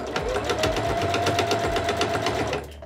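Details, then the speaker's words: Household sewing machine deliberately fitted with a badly dull needle (needles need replacing about every eight hours of sewing): steady dull thumping about four times a second as it sews, the sound of a blunt, worn needle. "and i just put a really bad dull needle into this machine so everyone can hear it at home kind of making a thumping sound"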